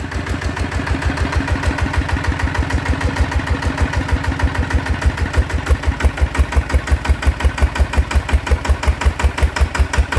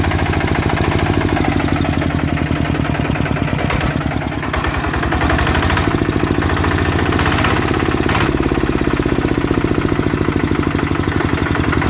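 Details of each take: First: Bluebird small engine after repair (balance weight fitted, original spring): firm, regular firing pulses at a steady pace, no knocking or rattle; runs smoothly and healthy. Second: Blue Bird small petrol engine: rough rattly shuddering drone and vibration, suspected broken/worn crankshaft bearing; runs but noisy, engine disassembled to check.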